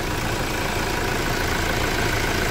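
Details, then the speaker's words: Toyota Hilux diesel (2008–2010 generation) at about half a million km, after injection pump and injector reconditioning for loss of power: a steady, even idle with no knocks, misses or hunting, running smooth. "o motor tá redondinho né"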